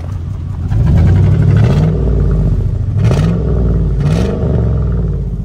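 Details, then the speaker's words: Wrecked 2020 Silverado with a swapped-in engine from a 2003, smoking and oil around the exhaust manifold: revving unevenly with a stumbling, lumpy beat and loose clatter as it rises and falls. A bad misfire. "you know you can hear it no you can hear the Miss bad"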